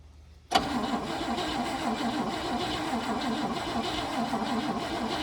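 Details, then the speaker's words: 1959 Cadillac coupe, first start attempt with a fresh battery; the engine had turned over smoothly by hand. The starter cranks at a steady, even rhythm but it never fires. The tank is empty, so there is no fuel. "Not gonna do you any good, Seth. That's not gonna do you any good. There's no gas in the tank or nothing."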